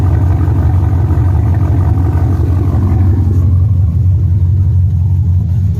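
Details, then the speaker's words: Truck V8 with long-tube headers and aftermarket cam described as not very big; deep rumbling idle with an uneven loping beat about twice a second; normal cam idle lope. "now you can kind of hear the cam of this to it it's not a very big cam but it's it's cam nonetheless"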